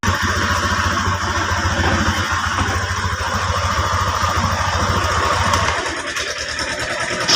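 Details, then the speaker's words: TVS Apache RTR after an engine repair for a tick-tick noise: even, rapid firing pulses hold steady with no ticking, so the bike idles smoothly. "तो engine का तो final gas engine repair करने के बाद sound"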